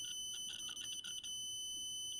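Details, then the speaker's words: Adafruit Feather M0 Bluefruit with soldered header pins in a breadboard, continuity test on next pin: high beep stutters then holds clean and unbroken; pins seat deep enough in breadboard for solid contact. "seems better that works that works okay there this means that all of these pins on the board are going deep enough to be able to work with them through the breadboard which is good"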